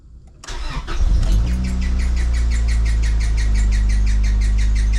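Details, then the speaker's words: Acura Integra GS-R, rebuilt B18C1 engine, first start next morning before warm-up: engine settles with a sharp high chirp three to four times a second, suspected loose or over-tight drive belt, goes away; squeal on cold start. "That sounds like a loose belt or a tight belt. One of the two."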